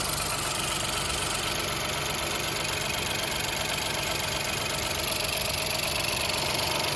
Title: Ford Fiesta 1L Ecoboost Engine Knocking Noise due to improper maintenance #fordfiesta